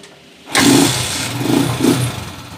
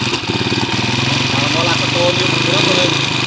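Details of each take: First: Honda TMX155 motorcycle after repair: engine catches cleanly first try and settles into a smooth, even, quieter idle, no longer hiccuping; healthy start. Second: Honda TMX155 motorcycle engine, hard to start, dying with choke down and hiccuping; loud, busy mechanical clatter at idle despite four previous mechanics and two timing gear replacements.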